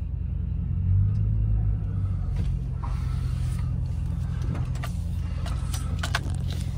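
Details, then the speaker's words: 2006 Chevrolet Silverado, used 5.3L V8 just swapped in, first test drive: steady low rumble with no knocking or other noises, temperature good, oil pressure rising with throttle. Normal engine running. "time so far so good I don't hear any knocking or any noises temperature's good oil pressure is rising when I give it gas"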